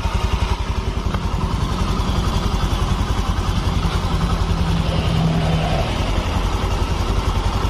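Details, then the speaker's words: Honda Vario FI scooter after repair of damage from improper prior handling, at idle: steady, even putter about three and a half pulses a second, no clatter or misses; quiet now, no more smoke from the exhaust or crankcase breather. "sudah normal nih suaranya dan di bagian knalpot sudah tidak berasap suaranya sudah tidak Berisik"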